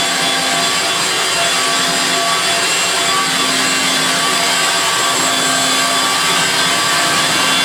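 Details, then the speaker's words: Refurbished Electrolux Twin Turbo Z522 vacuum on carpet after refurbishment: steady, even high-pitched whine with brush rustle, no beater-bar pounding, no rattle or grind, higher pitch than the 500 series; runs healthy. "it's such a different sound to the ones at the beater bars scissor we'll see you know what the beater bar pounding at the camp is you've just got a nice stiff brushing action so there we go it also sounds more higher pitch than the 500 series"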